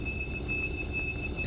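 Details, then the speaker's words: Skyranger microlight taxiing after landing at Popham: a steady high-pitched squeal from one squeaking brake rides over a low engine rumble. Brake squeal, judged harmless. "if you can hear the squeak in the background. And that's uh one of the brakes was just squeaking, but no bad thing."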